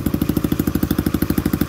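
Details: Old Cub 50 engine after restoration, exhaust simply attached, starting easily and idling with an even steady thump, no knocks or rattles; very smooth healthy idle.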